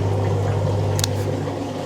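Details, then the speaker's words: 2002 Kelvinator K605 washing machine, recently fixed, on the regular wash cycle: an even, low, steady drain pump hum with water gurgling through. Normal drain pump operation. "so yeah you can actually like listen to the pump it's like a true you can really hear a pump"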